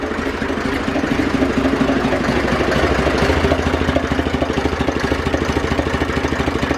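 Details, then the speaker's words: Zetor 4911 tractor diesel, stored since 2012, restarted after coolant top-up with no leak at the cylinder head, warming up: even steady idle chug, regular firing, no knocks or misses; running sweetly. "we'll give another start okay let's get a bit of heat into it but uh running sweetly"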